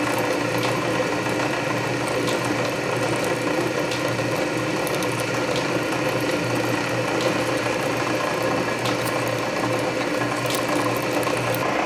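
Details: Canedy Otto drill press after belt re-lacing, cutting under power feed at low speed: slow geared whir with light regular feed-ratchet click about every 1.5 seconds; main drive belt still slips slightly but gear reduction torque masks it. Healthy.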